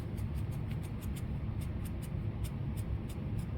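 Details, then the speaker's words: Traxxas TRX-4 Blazer RC wheel bearing spun by hand on a pick during cleaning: faint, regular dry ticking over a low hum, rough and catching; worn wheel bearing. "and yeah you can just feel it catching there's another bad one here you can hear it and you can definitely feel it it is grabbing all over the place"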